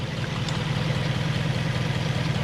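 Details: Toyota 1UZ-FE V8 in an Altezza during injector-unplug test: lumpy uneven idle with regular loping pulse, half the cylinders dead (spark present); cause apparently a broken distributor rotor installed backwards, running on four cylinders.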